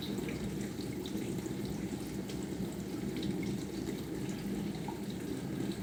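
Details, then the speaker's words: Bosch SMV50E10RU/D5 Type SD6P1B dishwasher, brought in for humming and not starting, short-program test before repair: steady splashing hiss with soft pump hum as pressure builds, no grinding or buzzing, no errors; normal wash cycle spraying. "убирает обороты доливает вода параллельно доливается увеличивается давление все равно входит в режим давление неплохое Ну по крайней мере ошибок никаких наблюдаем"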